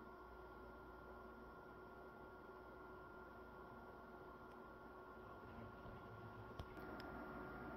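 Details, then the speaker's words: PS5 Slim, microphone at rear of console while game (Horizon Forbidden West) boots: soft, even fan whoosh with faint steady tone swelling slightly; a bit more fan noise than at idle but manageable, normal cooling. "and moving on to the rear of the console you do hear a little bit more uh fan noise but overall pretty uh manageable un comparable to PS5 fat"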